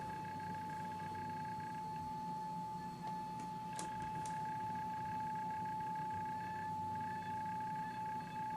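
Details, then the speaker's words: Electro-Voice T-35 / Klipsch K-77 horn tweeter after diaphragm replacement, fed a steady ~800 Hz test tone through a capacitor. Faint buzzy edges come and go as the diaphragm is moved; it is misaligned and rubbing inside. "whenever I move it you'll be able to hear to come in and out of alignment"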